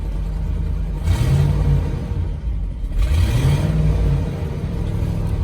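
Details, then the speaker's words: GMC Yukon Denali auction truck, 250,000 miles, slight misfire, oil pressure present, in reverse with parking brake on: engine revs freely with no load, transmission not engaging; possibly low fluid from busted radiator and trans cooler. "I don't think we've got a transmission. Parking brakes on too. I wonder if that was what was stopping me."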